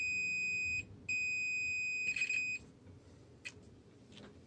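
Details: Marantz PM7200 amplifier, dead, one channel (likely left): steady high-pitched continuity tone, brief break, sounding again; power transistor reads dead short.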